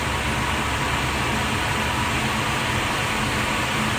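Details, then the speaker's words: Newly installed Oneida Dust Gorilla dust collector with Nordfab Quick Clamp ductwork, first startup test; loud, steady jet-like rushing roar with no knocks or wavering, running smoothly. "Nice. There it goes. Whoa. Sounds like a jet's taking"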